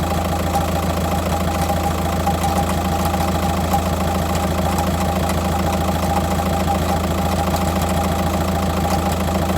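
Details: 2006 Jetta TDI BRM diesel with manual gearbox at idle: even ticking for the first 10 seconds with the clutch pushed in, then a low clunking rattle joins once the clutch is released and engaged.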